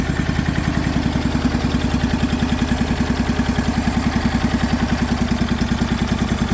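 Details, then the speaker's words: MTD Yardman riding mower twin, first start in years, valves just adjusted, new starter, choked, booster pack: fast lumpy hollow thumping idle; one spark plug wire left unhooked, running on one cylinder only. "I forgot to hook up the spark plug wire right here. It was actually only running on one cylinder, so that actually wasn't bad for one cylinder."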